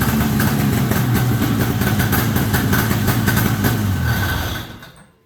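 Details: 1973 Columbia snowmobile two-stroke, after the crankcase pulse line was reconnected to the rebuilt diaphragm carb. Fast, even burble runs steadily for several seconds, then is shut off: normal idle.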